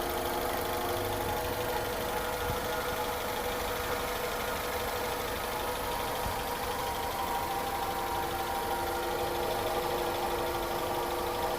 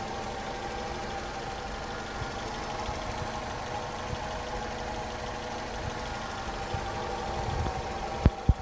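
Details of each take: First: Honda CR-V first generation at idle: a constant droning hum with a thin, even whine over it, heard in the engine bay and cabin. Engine hum and whine from incorrect distributor timing. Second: Honda CR-V first generation at a steady, even idle with a low hum and no hunting or whine; a normal idle, shown in comparison with the hum and whine caused by incorrect distributor timing.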